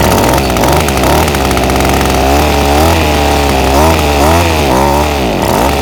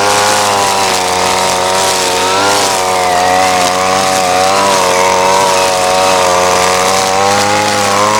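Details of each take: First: Ryobi SS30 30cc two-stroke trimmer, before carburetor low-jet adjustment: revs rise and sag unevenly, stumbling and bogging each time the throttle opens instead of climbing cleanly. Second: Ryobi SS30 30cc two-stroke weed trimmer after a simple low-side carburetor adjustment: steady high buzz holding speed under cutting load, slight wavering, no bogging or stalling; runs great though perhaps not exactly fine-tuned.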